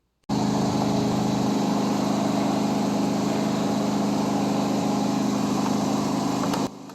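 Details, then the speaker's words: John Deere 100 series riding mower, engine running after replacing the drive belt idlers: smooth, even hum with a steady low drone and no squeal or rattle; the earlier idler noise with parking brake released is gone. "Now I'm about to let you hear how with the engine running, that sound from before has now been eliminated."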